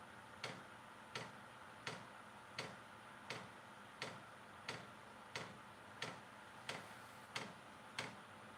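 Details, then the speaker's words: Vevor diesel heater on first start: crisp, evenly spaced clicks about one and a half per second over a quiet room after the dosing pump was slow to begin; the fuel pump is now ticking normally. "You see click and clacking now. Pick it up. speed."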